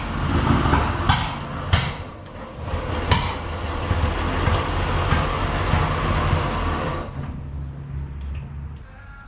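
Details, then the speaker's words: Barn-find 1937 Chevy sedan, misfire and carburettor backfire from a wrong firing order: rough low putt-putt with sharp irregular lean pops through the carburettor that choke and throttle adjustment didn't fix. "we were able to putt putt around the parking lot but it was running terrible it was lean pop like backfiring through the carburetor"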